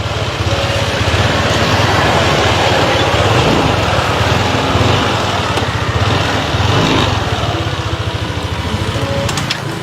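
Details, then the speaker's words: Repaired motorcycle being ridden after mechanic's fix: steady small engine pulsing evenly, no tapping or rattles over the exhaust beat; earlier noise gone, sounds like brand new. "Yung hinahanap kong magiging brand new, ayon sa sinabi ni Sir nung una, is parang brand new yung tunog."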